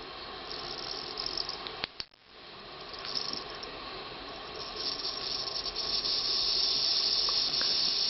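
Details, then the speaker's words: Jensen Model 25 electric model steam engine boiler reaching steam: a high, soft hiss with fast bubbling through the whistle at about three pops a second; water level is checked by flashlight, since the boiler must never run dry, and this is the shutoff point. "I know enough that I always have a flashlight handy to see how much water's in there. You can hear it start to bubble through the whistle."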